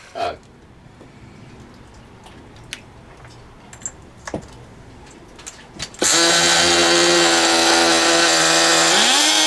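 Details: Original first-generation HPI Nitro Rush nitro RC car started after many years sitting, run about five minutes to burn off old fuel left in the tank: after handling noise, a sudden steady screaming buzz, pitch climbing slightly; running cleanly. Exhaust leaks noted.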